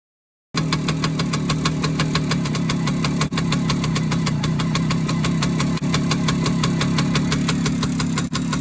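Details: Suzuki K125 two-stroke bike idling: a sharp, regular ticking puff over the buzz from an exhaust leak at the muffler joint, before the joint is replaced.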